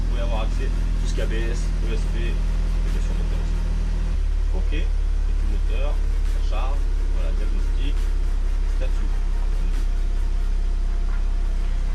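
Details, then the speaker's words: Audi TT mk2 2.0 TFSI 200 hp after fitting NGK Audi R8 ignition coils and new air filter, ABS fault still present: steady even low engine hum, no misfire or stumble, under music; running smoothly. "Bon, écoutez, ça y est, c'est terminé. Donc je suis content, ça fonctionne nickel."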